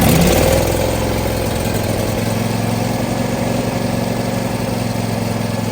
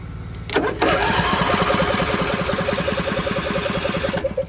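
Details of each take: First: John Deere D130 riding mower V-twin, started after carb cleaner and now running on gas from the tank: steady, even idle with a smooth low thrum and no knocks or misses; normal running. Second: John Deere D130 riding mower bought cheap, jump pack connected directly to the starter after it wouldn't crank; steady rapid cranking about three and a half pulses a second, engine turning freely but not firing.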